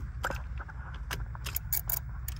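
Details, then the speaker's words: 2004 Honda Civic won't start: sharp, uneven clicking at the fuse box relay, a few per second, with no cranking; sounds like a low battery, relay suspected but not confirmed. "okay so the clicking noise say that relay start a relay so first thing then we probably thinking it's okay the relay is bad right"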